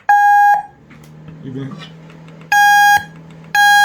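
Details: Sports timer buzzer converted to louder sound via LM386 amplifier with a 10-ohm resistor added to cut volume and hum; three loud, clean mid-pitched half-second buzzes, only faint low hum between; buzzer works properly.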